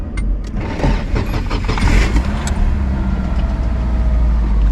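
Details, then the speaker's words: Girlfriend's SR20DET 240SX that has been running rich and only misbehaved at operating temperature: cold start catches quickly and settles into a steady, even low idle with no misses or knocks; normal cold start, sounds pretty good. "sounds pretty good right now leaks I'm gonna let it idle for a bit that way it gets up to operating temperature because it was only messing up when it was at operating temperature"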